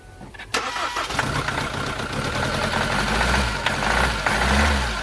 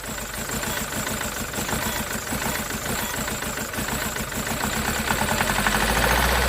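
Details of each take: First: SsangYong Musso rebuilt engine on first start, air still in fuel: engine catches into an uneven, lumpy idle with a stumbling beat; misfire traced to faulty number two injector, replaced, after which it ran well. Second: SsangYong Musso diesel after engine rebuild, exhaust not yet tightened, after the knackered number two injector behind a cylinder-two misfire was replaced: an even idle with a steady low clatter of about four beats a second, no stumble.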